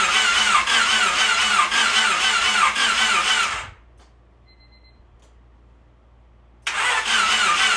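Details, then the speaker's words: Honda Civic freshly rebuilt D16Y8 engine after install, ECU fuse removed so no fuel fires: steady cranking about four beats a second without firing, a pause, then more, building oil pressure before first start. Engine cranking without starting. "So before I actually start it over, I'm gonna take the ECU fuse out and turn it over a good amount of times. That way we can build up some oil pressure in it."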